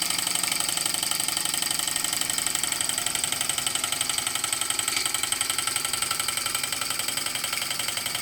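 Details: Model engine driving a homemade Baker fan as a working load: steady even beat about four per second with bright fan rush, holding speed against the load; running well.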